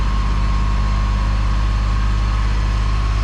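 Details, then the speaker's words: Free go-kart engine, idles poorly, wheel has slight play: a steady high whine over the loud engine drone, also heard when driving under power; owner first suspected a wheel bearing, source unclear, maybe a pulley. "But there's a whine coming from the motor right there. So I was out driving the other day, over the weekend yesterday, and I heard that whine. And it was when I was kind of like under power."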